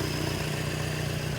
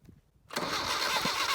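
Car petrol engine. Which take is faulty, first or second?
second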